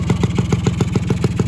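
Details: Rebuilt Yamaha RX100 two-stroke, finished before painting: crisp, even popping about seven a second, no misses or rattles over the exhaust beat. Healthy, settled idle.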